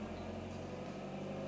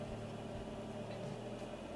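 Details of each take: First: VW Golf MK3 GL (German) after idle actuator replacement and adjustment: smooth, even hum under gentle part throttle with no stumble or cutting; it previously cut out and wouldn't accelerate at light throttle. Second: Golf MK3 GL (German) holding light part throttle: engine won't pick up, swelling and dropping unevenly every couple of seconds, yet accelerates normally at full throttle; caused by dirty throttle body and idle actuator.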